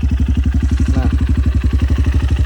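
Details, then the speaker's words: Honda CRF150L after one year of daily use, 16,987 km, no oil seepage or smoke: steady single-cylinder thump at idle with even pulses and no ticking or rattle; sounds like new, normal idle. "Kalau menurut saya ini mesinnya masih sama seperti baru. Suaranya ya, suaranya masih sama seperti baru."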